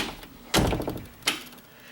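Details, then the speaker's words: Chattering door after adjusting the strike plate tab: door thunks shut, then a sharp latch click when pulled, meaning the strike tab is bent just a hair too far. "but if I pull on it here click that means this is pushed over just a hair too far"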